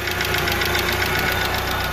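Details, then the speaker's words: 1995 Mitsubishi Eclipse GST idling after clutch replacement: light, quick metallic tick over a steady idle, located up top; owner suspects lifter/lash adjuster tick, possibly low or bad oil; earlier rattle on one side is gone. "But that could be from low oil, bad oil. Yeah, it's definitely coming from up in here."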